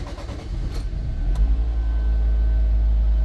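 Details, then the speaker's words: 2007 Nissan Versa after fuel pump replacement for a pressure regulator fault causing hesitant cold starts, dry start after priming twice: short uneven cranking, then catches and settles into a steady low idle; clean start, new pump quieter than the old. "there he goes and that little guy don't worry about that little guy well it appears to be working man"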